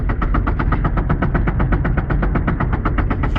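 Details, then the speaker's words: VAZ 2112: a rapid even knock, about six or seven beats a second, over a deep driveline growl, with the gear lever vibrating, in third gear; neutral is quiet and fourth also knocks; the cause is unknown to the owner. "коробка прям стучит ильича рычат тресется вот смотрим как боженька конкретно третья скорость"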